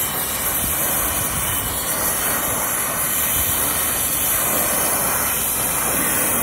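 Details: New Hoshizaki ice machine install: the vacuum pump pulls down only the line sets, reaching 956 microns. A steady, even rushing hiss with no surging, knocking or rattles means the vacuum pump is running normally.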